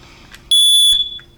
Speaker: You'll hear that sound, it means it's working. If you don't hear that sound, you probably need to replace your batteries.